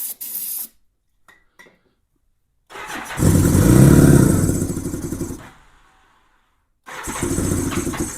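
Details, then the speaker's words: 1987 Honda GL1200 Goldwing, cold bike in cold weather with a non-working choke, on its first start attempt in years. The starter cranks evenly at about four beats a second to fill the carb bowls, then stops; it never catches. "Let me just crank and try to fill the bowls up. All right, let's see if that helps."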